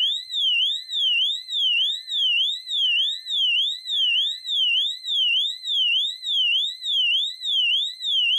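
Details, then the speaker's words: Wheelock AES-DL1 tri-tone horn (possibly mislabeled EL1) on a fire alarm panel: piercing high whoop sweeping up and down about twice a second, very loud and even; normal siren tone simulating a supervisory condition. "we'll go ahead and activate the siren tone simulating a supervisory condition on the system"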